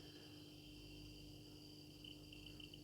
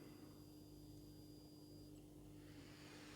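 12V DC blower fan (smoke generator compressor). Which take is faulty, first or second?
first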